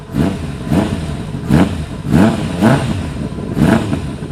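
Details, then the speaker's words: 1999 Kawasaki ZRX1100 revived after twelve years sitting, airbox removed, cold engine: throttle blips rise raggedly and drop unevenly; carburetion not set to spec, 100 main jet suspected too small. "it's not quite where it needs to be, as you can probably tell when I open it up a little bit. And it is cold, so it's going to be a little bit it's not set to specs, so it's really not right."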